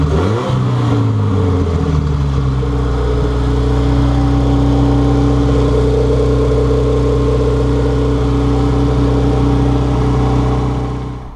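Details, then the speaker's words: Honda Civic EG after D16Z6 to B20V turbo engine swap: engine picks up from a brief rev and settles to a smooth, even, steady note without knocks or rattles; run briefly to avoid overheating, clutch master cylinder still to bleed. "Sounds like it's running really well. I didn't want to overheat it because I still need to bleed out the clutch master cylinder from when I disconnected it earlier."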